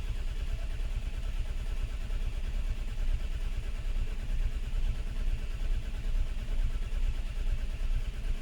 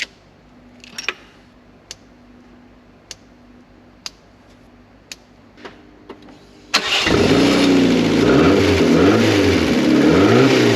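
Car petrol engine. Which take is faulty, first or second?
first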